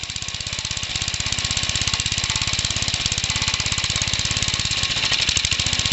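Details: Homemade engine combining a Suffolk engine with Briggs and old 1950s parts, first run: hard, regular knocking about three per second over the whole run; big end knock as expected, not very smoky.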